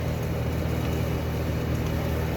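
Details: 1976 Eaton Viking dehumidifier with homemade plywood front panel, after panel vibration fix, running a while and collecting water: even low compressor hum under soft fan rush, no rattles or buzzing; running normally.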